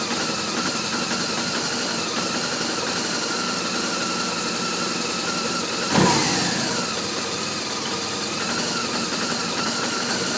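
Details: BMW R1200RT boxer twin idling with an uneven, lumpy beat and a hiss over it, never settling into a smooth rhythm; rough idle.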